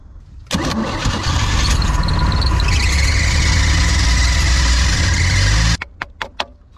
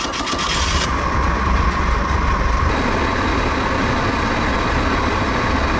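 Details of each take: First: Outboard boat engine with Rochester carb, water found in engine and carb bowl, milky oil: catches and runs rough about five seconds then cuts out, won't hold idle; idle circuit dead, sludgy carb, clogged idle jet. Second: Restored outboard boat engine under load on the water after restoration with approved vented fuel tank: strong steady drone with water and wind rush, no knocks or misses; running healthy.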